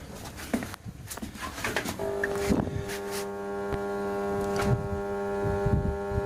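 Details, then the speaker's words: Grundfos MQ3-35 domestic water pressure pump, split-phase motor switched on: steady low hum holds while pump never picks up speed; motor stalled by failed start capacitor, initially mistaken for locked rotor. "so I hope you can hear the pick up there that that hum which initially I just thought that the rotor was locked but in fact that's the hum that suggested it can't get going because the uh capacitor in the split phase motor is gone"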